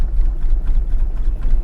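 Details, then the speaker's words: Newly acquired six-cylinder car with a leaking rocker cover, first start: rough, lumpy low idle with uneven stumbling pulses, running on two or three cylinders, not all six, then it stalls; owner suspects the ignition coils. "Oh, elle tourne sur 2 cylindres ou 3 là. Ah, clairement, elle tourne pas tout... Bon, bah la calée. Elle tourne pas sur ses 6 cylindres, fait chier."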